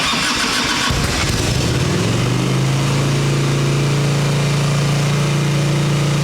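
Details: 1989 Harley Ultra Classic Tour Glide Evo, butterfly carb, running ancient gasoline, and the owner suspects a reclogged carb with no fuel filter: it cranks, catches, and settles into a steady, rich-sounding low idle. It will only idle on choke.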